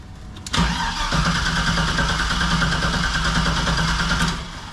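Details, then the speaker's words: 1973 Chevy K5 Blazer, LS-swapped, after a new Painless wiring harness and Dakota Digital gauges were installed: about four seconds of steady even cranking, no start; owner says something on the LS harness is not working. "Dang it. Okay, obviously something on the LS harness is now not working, but we're getting closer."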